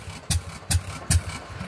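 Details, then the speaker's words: Fairbanks Morse 208 oilfield engine running after a magneto replaced its failed electronic ignition, back up after 36 hours down with a finicky gas supply; three sharp metallic clangs over the engine thump; an intermittent banging clang with no visible slop, cause unclear. "this will be a keep an eye on deal but I'm pretty sure the camera caught that banging clang noise she wasn't doing it now she is"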